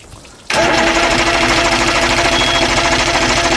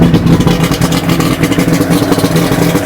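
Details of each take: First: 2000 Johnson 90hp outboard, first start of the year after spark plug and fuel filter service, cold, in neutral with water on, manual choke up: steady rapid cranking about three beats a second that never catches into a clean run; some smoke. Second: 2000 Johnson 90hp outboard on a flush muff after new spark plugs and fuel filter, started on manual choke: steady low burbling idle under splashing water, firing evenly with no stumbles. Some smoke from winterizing oil; idles well.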